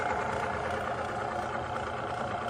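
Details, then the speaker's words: Bearing friction test machine with one drop of Prolube under load: a steady, even hum with no squeal, smoke or chatter; the lubricated bearing runs smoothly. "Running on the machine with 1 drop. It's not smoking, it's not squeaking. It's running like a champ."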